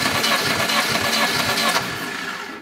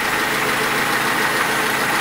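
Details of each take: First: Lada Niva 21213 (old, neglected; oily, plugs fouling) compression test on starter: even cranking about four turns a second for a couple of seconds, then stops; low compression suspected. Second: Lada Niva 21213 carbureted, cold engine; steady, even idle, smooth hum, no ticking or misfire; it smokes, more so when warm, and has oil consumption that can't be heard; normal idle.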